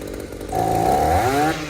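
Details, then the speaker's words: Echo two-stroke trimmer after blowing out its carburetor and cleaning under the fuel pump: revs climb, then sag and drop back instead of holding; ethanol corrosion in the aluminum carburetor causes the lean bog, so it needs replacing. "Well guys, I did what I could to get that lean bog out of that throttle response, but as you saw, the corrosion in that carburetor, that ethanol will just eat that aluminum carburetor to pieces."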